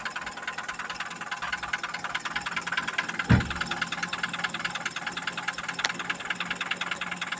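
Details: Mitsubishi Pajero iO with 4G94 engine, after a rev: light quick ticking knock about three per second over quiet idle, persisting after revs drop; engine knock of undetermined source.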